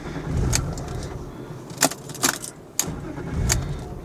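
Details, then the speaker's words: BMW E36 with suspected throttle position sensor fault, after a short drive at a gas station before clearing codes: engine catches and rumbles briefly, then dies within seconds on its own; won't stay running. "I was going to put the uh code scanner on it and clear the codes and then it just died on its own. So, it's still broken, I guess."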